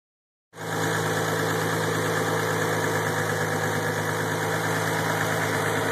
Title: 3 no noise after start up idle